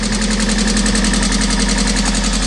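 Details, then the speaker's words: Mazda MX-5 track car first start after inlet/exhaust cam swap: steady, even four-cylinder idle with constant low tone; owner notes a little tap and rattle as lifters pump up, but runs clean so far. "A little bit of tap and rattle as the lifters pump up. All in all, so far so good."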